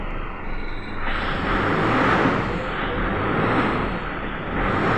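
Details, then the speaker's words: 2005 Toyota Hilux diesel that would not start, after repairing ignition switch wiring supply, key start in neutral: engine catches and settles into steady, even diesel idle, no misses or knocks; it still stalls by itself, not yet diagnosed. "So start, neutral. Yun o. Paandar na po mga ka-auto."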